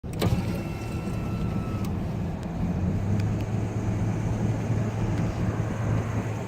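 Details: 2000 Ford Ranger engine under acceleration: low droning rumble with brief faint whistle, louder when cold, quieter when warm, gone at full operating temperature, fades off throttle, worsening over weeks; oil pressure switch reads OK; cause unknown.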